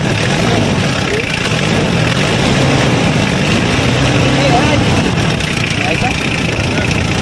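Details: Hyundai H100 (H1) engine idling after valve clearance adjustment; before, the loose clearances made it noisy with low power. Now a loud, even idle with a steady low rumble and no top-end tapping; the valvetrain sounds quiet and healthy.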